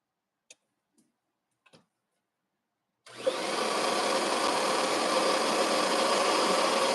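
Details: Refurbished Kirby vacuum after new wheels and foot switch repair: a few clicks, then the motor spins up to a steady, even whir with no grinding or rattle; running normally.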